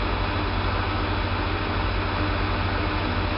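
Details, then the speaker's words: Kosmos lathe motor after conversion to three-phase supply; even steady low hum, constant pitch, no knocking; runs smoother and quieter than before, starts faster; normal running. "also the motor runs alot smoother and more quiet now which I doubt you can hear through the microphone but trust me it really runs smoother"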